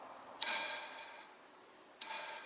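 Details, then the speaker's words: Alternator bearings spun by hand, two spins giving a dry, gritty whirr that fades. Drive-end bearing has loose balls and is rumbling; both bearings to be replaced. "O rolamento aqui do Mancal Motriz tá bem solto já as esferas, roncando um pouquinho, não sei se vocês vão ouvir, ó. Talvez não vai dar para ouvir no som da câmera aí, mas tá roncando. Esse aqui tá roncando um pouquinho mais, vai ser, e por causa do apoio vai ser melhor, ó."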